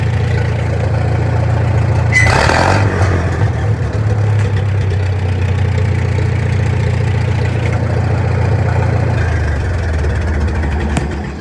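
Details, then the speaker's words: Farmall M tractor after a carb rebuild, open exhaust, idle mixture screw being set: revs up and hangs unevenly with stumbling because it was leaned too far, then evens out once backed out until it bubbled. Lean carburetor mixture. "So I had leaned it a little too far. So I kept coming out with it until it bubbled."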